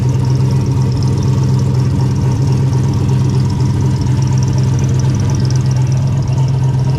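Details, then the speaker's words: Engine started with hood off after an Evil Energy baffled oil catch can install: rough, uneven idle with a faint high whine from the power steering pump, which the owner says sounds about to implode. Crankcase fumes are now gone. "You like my power steering pump? Sounds like it's about to implode on itself. Shoot, dude, it sounds great. Doesn't sound great, but there's no more fumes, which I'm happy about."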